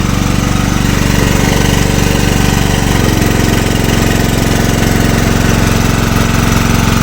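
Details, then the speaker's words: Generator engine run on gas (LPG) after its head was machined to shrink the combustion chamber, under about 1 kW load: loud, uneven thumping that lurches under load and shakes badly, worse than before the machining. Rough running under load. "що йому Не хватав ну вообще паршиво роби оце вам іросточка тоді хоть робило стабільніше вобще що попало"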